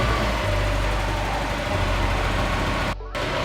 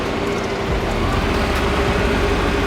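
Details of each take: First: Mazda Miata whose idle dropped to about 250 rpm with the lights on, after the idle air control unit was cleaned with carb cleaner: smooth, steady low idle with the lights on, apart from one brief dropout. Now idling normally. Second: Mazda Miata after cleaning the idle air control valve, heater running: idle sags noticeably when the lights are switched on, previously down to about 250 rpm, then recovers to a steady run; idle dip under electrical load.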